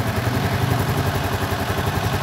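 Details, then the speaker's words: Suzuki Spin scooter after about a month on Kixx 10W-30 matic oil, warm after riding to destination; even steady low putter at idle with no knocks or rattles, smoother than at cold departure; normal warm idle. "Uniknya suaranya lebih halus daripada suara waktu idle, lebih halus daripada waktu mau berangkat."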